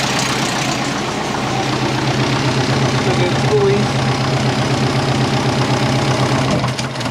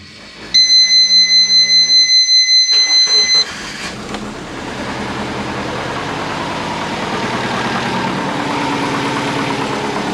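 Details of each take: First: Twin-turbo compound Subaru Forester just reassembled, TD05-20g turbo: rapid, fairly even puffing tick about four per second over the idle; owner suspects exhaust leak at the three-bolt flange onto the TD05, flange possibly warped; no fluid leaks. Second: Twin-turbo compound Subaru Forester with TD05-20G, after sealing the exhaust: chimes, starter cranks, engine catches into a steady, even idle with no ticking or puffing; normal idle, leak fixed.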